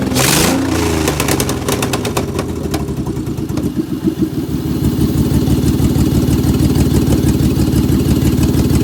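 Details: 2003 Honda 3.5 L V6 with misfire on bank 1, codes P0301, P0302, P0303 and P1399; catches and settles into uneven lumpy idle with irregular stumble and clatter.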